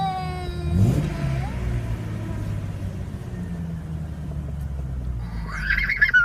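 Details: 1998 Jeep XJ Sport with no check engine light: after a brief rev, the petrol engine holds a fast idle around 1000 rpm. IAC, TPS, plugs, wires, cap, rotor, fuel pump and air filter replaced and throttle body cleaned; owner suspects the IAC.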